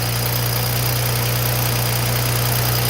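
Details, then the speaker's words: BMW at cold-start idle: fast, loose metallic chatter about three per second over steady idle, like a chain flopping; turbo wastegate rattle from worn wastegate rods as the aging turbos wear, heard on startup. "So that rattle you hear is a turbo wastegate rattle."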